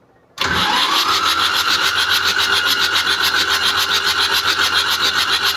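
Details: Mitsubishi 4DR7 diesel, which stood unused for a day, cranks steadily with starter whine but will not start; no fuel at the injector line for cylinder three, lines rusty and clogged with dirt.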